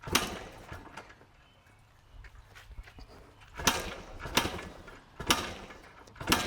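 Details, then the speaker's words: 1990 Yamaha RT180, fuel on, choke on: repeated kick-start strokes a second apart with silence between and never a firing pop. Cranks but won't start. "Let's pause. Something doesn't even sound close to starting."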